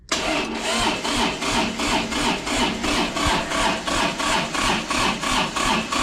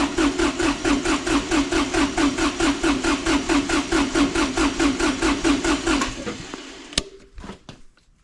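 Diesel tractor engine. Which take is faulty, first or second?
first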